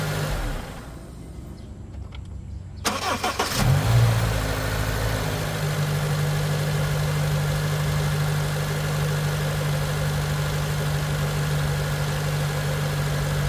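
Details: Honda K24A petrol engine on first cold start of the day: brief harsh rattle on catching, then steady even idle; code P0011, suspected VTC actuator, timing chain tensioner wear or low startup oil pressure, not confirmed.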